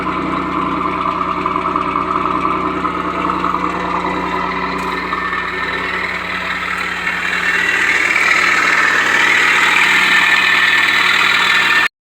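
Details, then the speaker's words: 1991 Pontiac Firebird 3.1 V6 at idle: rough whirring drone with a faint rattle over the steady idle from the worn, loose smog (air injection) pump going out, before replacement. "So if your smog's going out, that's the noise it's going to cause."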